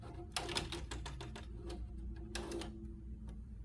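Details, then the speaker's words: 1987 Apple Macintosh Plus 1MB floppy drive: dry clicks and ratchety bursts at uneven intervals as it keeps retrying, trying to read but failing to read the disk; cause not yet known. "all right well it's not liking but we have the screen that says a lot and I can hear it's trying to read something but that's about all we get"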